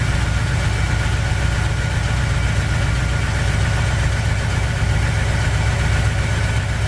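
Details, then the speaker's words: 1959 Chevy El Camino V8, first start after head gasket job following overheating, cold, water temp just rising: deep steady idle with faint uneven patter easing as it warms. Owner suspects a dry cylinder. "And that noise I heard was more in this area, and it's actually getting uh better. It's not as bad. I think that might have been that dry cylinder, but it's smoothing out."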